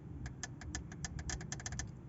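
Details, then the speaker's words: London taxi (English cab) restarted after 7 years off the road, fuel shut-off solenoids powered directly from a wire to battery positive, bypassing car wiring: sharp, crisp clicks about every fifth of a second, second solenoid quieter; both solenoids clicking and working. "Voilà, celle-ci claque, on peut la brancher. Et la deuxième, c'est moins fort. Voilà, c'est moins fort mais ça claque quand même, donc ça marche."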